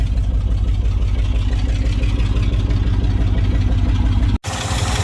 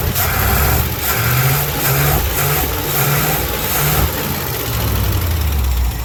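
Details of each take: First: Old International Harvester service truck (Binder), carburetor with no air filter, warming up at low idle. Steady firing pulses about three a second with no knocking or misses, and it sounds healthy, though raw fuel smell is noticeable. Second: Old carbureted service truck idling during a Seafoam tune-up, half poured in the engine and half in a nearly empty fuel tank; low, slightly uneven lumpy beat with some rattle, runs rough but steady and unchanged afterward, cause not pinned down.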